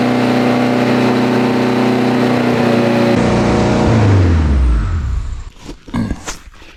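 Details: Honda Civic Type R being built to AWD, first start after intercooler/piping fabrication and rewiring, run without a cooling system; engine holds a steady, raised high idle with a clean, even note, then shuts off and winds down smoothly; normal high idle.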